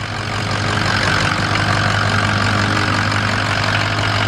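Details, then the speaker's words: 6.0 Ford Powerstroke diesel truck at idle: steady, even diesel clatter with firm low rumble, no knocks or misses; owner says it sounds great and runs perfect. "So you can hear the truck running. She sounds great."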